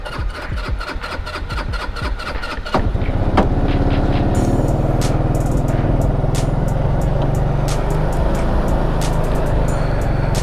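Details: Rakuta Chinese 150cc scooter: several seconds of cranking before the engine catches and settles into a steady idle. It is reluctant to start and still needs parts and an intake boot fix; cause unclear.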